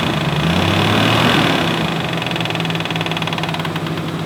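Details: 1994 Nissan Skyline R32 GTR V-Spec II, engine running with AC on and revved: loud rapid tapping/knocking, about four a second, comes and goes and is RPM dependent; failing AC compressor, cause unknown, clutch not slipping, needs replacement.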